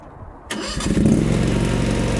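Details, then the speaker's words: New MMS 380T Chinese mini skid steer, not a cold start (run 5–10 minutes earlier): engine catches within a moment of cranking and climbs straight to a steady, even low run; clean, healthy start. "So, it start right up."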